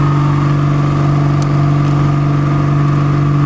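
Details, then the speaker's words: Nissan Pathfinder, 4.0 L V6, with coil connectors unplugged so it runs on four cylinders. Deep uneven thrum of about four pulses a second, a loping beat under a steady hum, from the dead cylinders. "كده العربيه شغاله باربعه بساتن"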